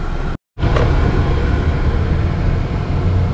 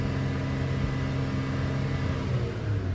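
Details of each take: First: 2013 Chevy Cruze 1.4 turbo test drive after catalytic converter repair, no check engine light; steady even low rumble building under road noise, no misfire or hesitation, accelerating normally. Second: 2013 Chevy Cruze 1.4 turbo before repair, bucking with no acceleration; revved, a flat dull drone that barely climbs, suspected clogged catalytic converter, with bad coil pack noted.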